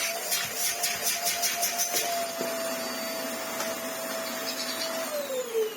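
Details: Vax Air Stretch bagless upright corded vacuum, post filter not yet fitted. Steady mid-pitched motor whine with strong airflow rush, pitch dropping as it spins down; greatly improved airflow, running normally.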